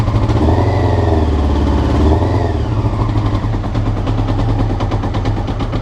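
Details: Honda CBR rough idle recorded before changing float needles; uneven, stumbling idle with a loose, irregular beat that picks up briefly on a throttle blip; cause suspected, not confirmed.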